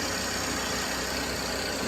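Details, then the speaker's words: 2017 Chevrolet Impala idling after replacing the front exhaust manifold/catalytic converter, which had broken at the neck by the engine, checked for leaks: even, steady idle, clean hiss, no ticking or puffing at manifold; sealed and normal. ">> Everything sounds really good."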